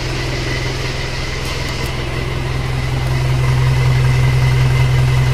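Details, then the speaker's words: 1997 Isuzu Panther diesel with heavy oil consumption and crankcase blow-by, on a test start before an overhaul: steady, even idle clatter at about three beats a second with no misses. Compression is still good, so no engine rebuild; body vibration possibly from the engine mounts. "Oke Mari kita langsung kita starter saja gimana sebenarnya hidupnya enak juga ya"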